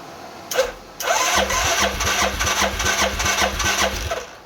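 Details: 2000 Arctic Cat 500 4x4, Suzuki 500cc single, rebuilt with used eBay crank, cranking without fuel after cam chain tensioner fitted: even starter cranking, steady compression pulses about 2.5 per second, no knocks; normal.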